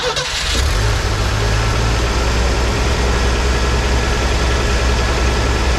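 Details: 1983 Ford F150 300 inline-six after the Carter YFA one-barrel carb fix, choke off, idle dropped slightly but maybe still fast for a manual: steady, even low idle with a faint occasional stumble. Normal idle.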